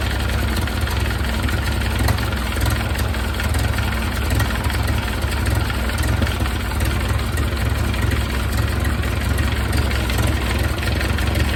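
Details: 1931 Ford Model A four-cylinder, barn-stored, after distributor advanced and idle lowered, exhaust hot: low, fairly even idle with loud raspy exhaust but no misses or knocks; runs a little better, carburetor jets may need checking.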